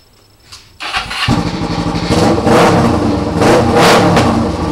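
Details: 2008 EX250 motorcycle chassis with a swapped-in EX500 engine on fabricated brackets. Catches quickly and settles into a smooth, even twin beat with clean throttle blips, no knocking, banging or tapping; engine sounds good.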